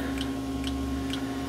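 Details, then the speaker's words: 2005 Chevy Express van with no start, no fuel pump operation and intermittent gauges, heard from underneath: sharp relay-like clicks about every half second over an electrical hum, from the ABS unit; clicking stops when the ABS is unplugged; cause unconfirmed. "I hear the clicking and it seems to be clicking in the ABS unit so if I unplug the ABS unit the clicking goes away which I thought was odd"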